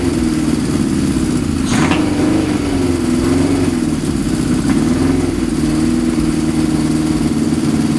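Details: Suzuki GS550 cafe racer inline four with pod air filters partly covered in gaffer tape to cut airflow; settles into a steady, even idle without choke for the first time, confirming the pods let in too much air and need rejetting.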